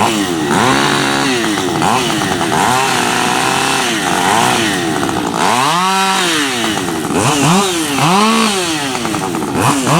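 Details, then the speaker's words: Freshly built Husqvarna 555 HTSS work saw, newly tuned, not yet broken in, cutting small wood. Screams at high revs, bogs briefly into each cut and climbs back cleanly; revs higher than a stock 555 with strong torque, running well. "It definitely picked up RPMs after that tune. It definitely runs at a higher RPM than a 555 if you let it. Now, having said that, it's definitely a torquer, you know, for that size saw."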